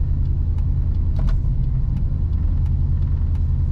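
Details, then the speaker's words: 2002 Dodge Durango 4.6 L V8, replacement ECU fitted: low steady rumbling idle sitting high, about 1500 rpm, with a faint uneven lope, same in park or neutral. "I do know it's revving up high because it should not be at no 1500 RPM it should not go up to 23,000 RPM then idle back down"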